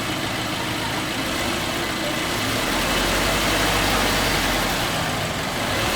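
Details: 2018 Subaru Impreza, 36,000 miles, on jack stands with wheels driven under throttle: a steady rough growl and whoosh over the engine, pulsing about four times a second; in driving it starts around 30–40 mph; faulty wheel bearing.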